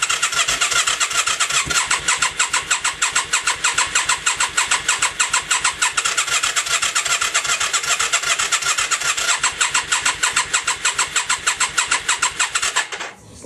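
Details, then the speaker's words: 1996 Yamaha XV535 after a starter clutch replacement, battery charged, on choke: steady, slower starter chugging at about one beat a second for over ten seconds, with no firing at all; cranks but won't start. "If I put it on choke, it cranks over slower, but the exact same thing does nothing."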